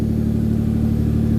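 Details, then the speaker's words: Car being prepared for the dyno after a fuel-pump swap and 20 litres of fresh fuel, started very cold with no coolant and not yet tuned: heavy, slightly lumpy, sluggish drone that resists revving. Probably running very rich. "and eventually we'll have probably probably very rich mixtures as well. So, well, she's not liking revving because she's very, very, very cold."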